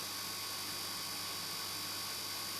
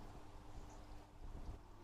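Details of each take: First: Fluval FX6 aquarium canister filter after 3–4 months without cleaning: steady loud low electrical hum with a faint buzz; reportedly it stops humming once the filter is washed. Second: Fluval FX6 aquarium canister filter just after washing: faint, steady low hum under soft water and air noise, no rattle or grind; normal quiet running, unlike the loud hum before cleaning.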